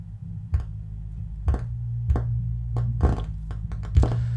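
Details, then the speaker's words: Miller and Kreisel MX-125 subwoofer amplifier, customer complaint of hum/buzz and distortion, still humming after cleaning pots: constant low mains hum under every note, bass hits fuzzy and distorted. "yeah I definitely got a lot of bass Distortion going on"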